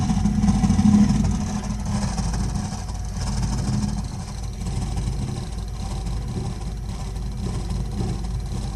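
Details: Burnham Alpine boiler with a continuing loud-noise problem: heavy, uneven low roar rumbling steadily throughout, far too loud for normal firing; the burner is running rough, cause unknown.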